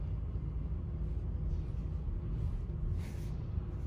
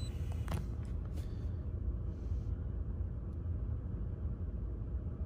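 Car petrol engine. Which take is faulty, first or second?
first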